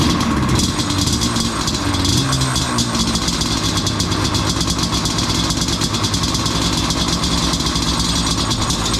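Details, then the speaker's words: Yamaha Banshee two-stroke twin, not fully warmed, choke on half, foam in place of air filter: busy, rattly fast steady idle; pilot circuit still slightly lean, expected to improve with proper air filter. "It's still a little lean on the pilot. Uh especially when it's not warmed up all the way, but that'll be better when they get the air filter."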